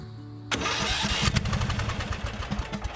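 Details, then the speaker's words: Small engine on a riding mower with a suspected ignition fault that gave inconsistent spark: starter churns steadily with only weak scattered pops that never catch; the engine is badly flooded with fuel. "it's just very flooded okay i let it dry out a little bit"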